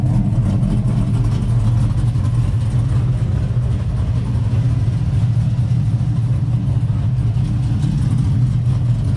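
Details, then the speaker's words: L92 (LS3-type) V8 from a 2008 Escalade swapped into a Silverado with T56 Magnum and Texas Speed LS3 Stage 2 cam, basic tune, first start: deep steady rumble with a slightly uneven cam lope, no knocks or ticks; healthy big-cam idle. "I'm sure everyone's in status here what this ls3 stage two cam sounds like so we'll go ahead fire it up here"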